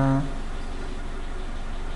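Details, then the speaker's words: Suzuki Katana engine, idling with new spark plug wires: very stable, low even idle with no dips or pauses, confirming the old plug wires were the fault; normal stable idle. "sangat stabil ya, tidak ada turun-turunnya sedikit, tidak ada jeda-jeda turunnya seperti yang sebelumnya. Sangat stabil. Jadi terbukti yang masalah adalah kabel businya."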